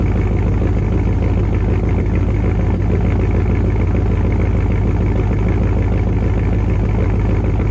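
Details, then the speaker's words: Dodge Dakota R/T V8 pickup with Hellcat/Scat Pack resonators plus added Ram 1500 resonators: deep heavy lumpy rumble with low droning boom on light throttle; exhaust drone remains too loud. "Touching on the gas, and she's making that drone noise, that deep drone."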